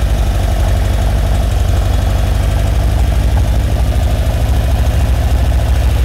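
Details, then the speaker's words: 1978 Ferrari 308 GTB V8, smog pump deleted, loud low idle with an uneven stumbling beat about two and a half lumps per second; misfire, not on all eight cylinders though spark plugs fire strong and timed, smooths out when gas is sprayed. "You guys are going to notice that it's not running on all eight cylinders. You can hear it."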